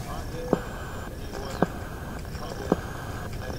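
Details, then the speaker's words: Restored Sparton 5 tube radio after alignment, tuned on deck: sharp clicks about once a second over quiet hiss; interference owner attributes to his sleeping computer's power supply refreshing RAM, not a radio fault. "that sound that pulsing that pulsing sound is the power supply in my sleeping computer uh refreshing the ram memory that's what i understand it to be about every second it gets refreshed"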